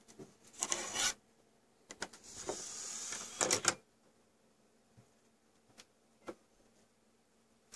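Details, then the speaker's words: Xbox One optical drive giving short bursts of whirring and scraping that sound like grinding the disc, then faint clicks as it spins up and gives up, mostly after switching discs; not reading the disc. "I swear it sounds like it's grinding the disk up so no read check it yep no read"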